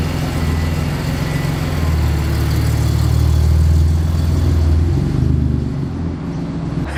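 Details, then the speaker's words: Audi S4/S5/SQ5 3.0T with catless downpipes (later removed): a deep booming exhaust drone that swells and holds through the rev, with little rasp. "Okay, if you could hear how bad that was, you already know why I had to remove those downpipes."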